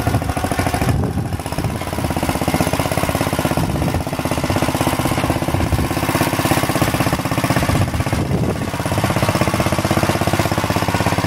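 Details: Planet Jr. Model B walk-behind tractor with air cleaner and elbow refitted, driving it up the hill: small single putters at even idle, then picks up smoothly under throttle with a steady governed beat. Normal running.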